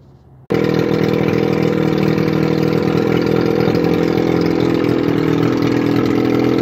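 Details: 1981 Evinrude 35 HP two-stroke outboard, run with gearcase off, 150 psi compression in both cylinders, starter weak: fires straight up and settles into a steady, even buzzing run with no stumbling or knocks; normal running.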